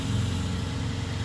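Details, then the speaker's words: 2011 Ford Taurus just after replacing the corroded battery cable harness (positive, negative, starter and alternator); fired right up, steady even low rumble settling into a smooth idle, no knocks, misses or squeals. Normal idle. "oh well sounds like a dream fired right up though"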